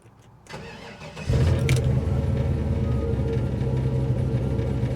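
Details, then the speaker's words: 1968 Chevy truck LS swap (5.3, Turbo 400, 600-lift cam) tuned in speed density with the MAF table raised 20% richer: short crank, catches cleanly and settles into a steady, even idle; normal start, easier than before. "they already started a lot easier so hopefully we're rich enough to be safe and we can go drive this thing if not I'm going to add some more"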